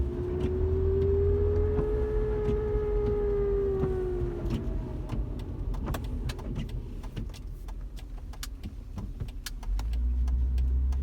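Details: 2007 Hyundai Santa Fe driving: mid-pitched whine from the passenger side rising and falling with speed over road rumble; dry, worn driveshaft hanger bearing, quieted temporarily by packing it with grease.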